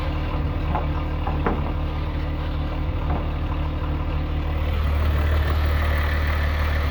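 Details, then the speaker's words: VW VR6 2.8 12V after a complete engine rebuild, just started: smooth even idle, low drone firming slightly after a few seconds, no ticking or knocking; healthy engine. "Alright, got my car back. It's running pretty good."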